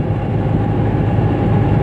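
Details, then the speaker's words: Toyota Etios on a level highway after wheel bearing replacement: steady low road rumble with the earlier humming drone gone. "നേരത്തെ അതേ ഓടിച്ച റോഡിൽ തന്നെ ഉണ്ട്, ഹൈവേയിൽ നേരത്തെ നല്ല മൂളൽ ആ ഒരു സൗണ്ട് ഉണ്ടായിരുന്നു, ഒരു ഹമ്മിങ് നോയ്സ്. ഇപ്പോൾ അത് കറക്റ്റായിട്ടുണ്ട്"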